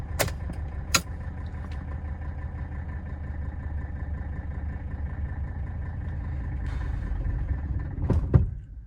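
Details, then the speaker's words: 1984 Mercedes-Benz 300D turbo diesel W123, key off after testing door locks; engine keeps chugging several seconds before dying, a little better but not instantaneous; owner suspects an inside vacuum line leak, lock actuator works. "So that was a little better, but not instantaneous. I still suspect it could be a vacuum line on the inside."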